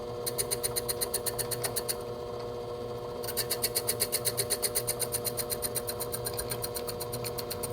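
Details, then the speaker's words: Lathe boring with a flipped boring bar at slow speed and slow feed while machining a DIY bench block: fast, even ringing rattle at about four per second during the cut, pausing then returning, which is boring bar chatter. "Go ahead and feed it pretty slow as well, just because you can hear it. On the chatter."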